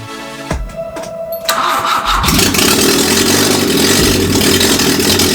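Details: Grandfather's Peugeot 104, after some adjustments: cranks and catches, then a loud, raw, uneven idle with an unsteady beat. Rough idle; cause not yet known.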